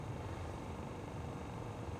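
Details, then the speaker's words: 2010 Honda Accord after replacing the passenger-side temperature blend door actuator: even steady rush of air from the blower fan with a low smooth hum, no ticking or clicking; runs healthy. "You can hear the fan blowing."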